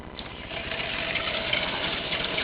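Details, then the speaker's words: EV motorcycle conversion motor test run off a 12 V car battery at unregulated speed, spinning the free rear wheel; faint steady hum with airy whir, pretty loud but no knocking or grinding, motor works fine. "What we're going to do tonight is just do a test run, just a basic test run of the motor, unregulated speed, off a 12 volt battery. It is pretty loud, but it does work."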